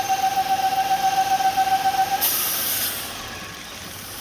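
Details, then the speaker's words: 2001 Buick LeSabre at idle with the belt removed: steady mid-pitched squeal pulsing about four times a second; removing the oil fill cap releases heavy crankcase vacuum and the squeal stops; PCV valve suspected. "all right so there's a squeal on 2001 bual saber I've done a little bit of searching I guess it's somewhat common someone mentioned the PCV valve and I think that might be the issue"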